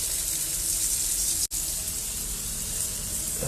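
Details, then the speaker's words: Split in a lead water main at the wiped joint onto the pipe, spraying fast: loud, constant high-pitched hiss, temporarily stopped by hammering the lead over the split. Water leak. "it's getting loud up oh god it's in the lead yeah it's on the lid so we've got a split there in the lead where it's been wiped onto the pipe"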